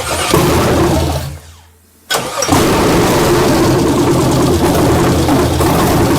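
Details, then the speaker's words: First start of a 1967 Chevelle with LS swap, electric injectors, fuel supply borrowed from a lawnmower: cranks, long delay, then catches and settles into a steady, even, low-rumbling idle; normal start. "oh that does work oh because we have it connected to that yeah that's all it's all electric injectors all right awesome it's got a wicked delay"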